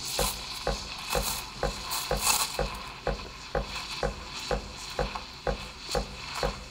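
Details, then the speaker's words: De'Longhi La Specialista Prestigio steam wand at the milk surface for a latte, held there about 3–4 seconds: steady hiss with regular chirping pulses about twice a second; correct aeration hiss for microfoam. "Pour un latte, en général, on va faire 3-4 secondes ce bruit-là et ensuite on va venir se poser juste un petit peu en dessous."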